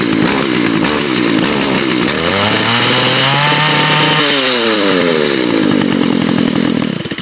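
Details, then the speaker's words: Curved-shaft trimmer with no string fitted and the spark arrestor removed, about 60°F, already run earlier that day. Two-stroke climbs to a high scream, stutters against the rev limiter, then drops back. Unloaded, at the limiter. "It's hitting that rev limiter because it doesn't have any string on it, but you can see in there the spark arrestor's out of there, and it makes it sound 10 times better, but it's extremely loud."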